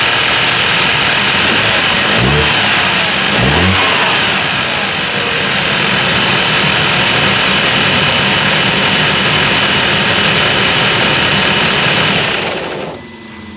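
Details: 2009 Audi A5 Coupe 2.0 TFSI petrol, 132 kW, second microphone placed at the timing chain: engine cranks and catches, then idles under a dense metallic clatter from the stretched timing chain.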